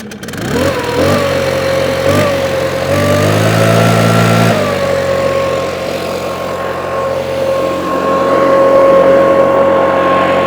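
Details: Stihl BR600 backpack leaf blower in for valve adjustment and full service, started on choke with fresh fuel: small engine revs up and settles into a steady high drone with a clean even note; starts better, running healthy.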